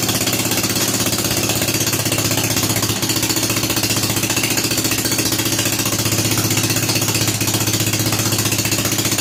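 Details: Rebuilt Kohler K241 single-cylinder in a John Deere 210 garden tractor on first run after priming the carburetor with a new fuel line: steady, even thump at constant speed with busy clatter on top, no misses or surging.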